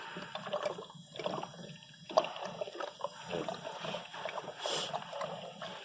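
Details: 2012 Mini Cooper, about 150,000 miles, misfire codes P0303/P0304, new spark plugs, hot engine running: irregular coolant gurgling and bubbling from a blown head gasket; compression around 45-70 psi.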